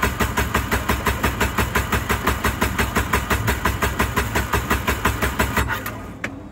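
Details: Engine cranking with a steady, fast starter rhythm that never catches or fires, cutting off after about six seconds; cranks but won't start.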